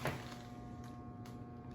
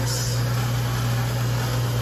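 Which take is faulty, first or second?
first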